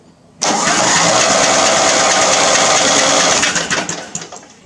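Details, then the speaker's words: Major Murray engine cranking after its starter was rebuilt and reinstalled; engine untested. Starter kicks in sharply, spins the engine steadily about three seconds, then winds down; now cranking freely and properly. "Now it actually spins. Okay, the starter is rebuilt, put back together, and it's back on."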